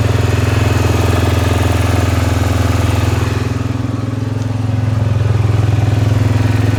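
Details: Suzuki Vinson ATV with a freshly rebuilt single-cylinder engine, not yet broken in, on first run after installation; steady, even idle with a firm low thump, no knocks or misses: normal idle.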